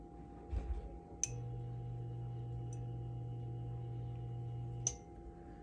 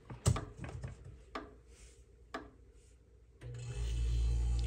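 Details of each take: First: Electrolux EI11BF25LS fridge not cooling: a click, then a steady low hum for nearly four seconds and another click as it drops out. The compressor draws 10 A and stalls; the start relay is faulty and was replaced. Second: Electrolux fridge EI11BF25LS after replacing the compressor relay: a few clicks and bumps, then a low, steady hum as the compressor starts and runs normally, fixing the not-cooling fault.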